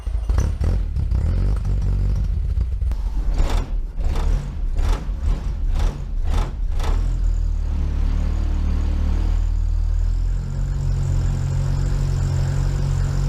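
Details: Mk1 VW Rabbit 1.7L during catalytic-converter delete work: cranks and catches with a few rattles, then settles into a steady, even low idle; the engine sounds healthy.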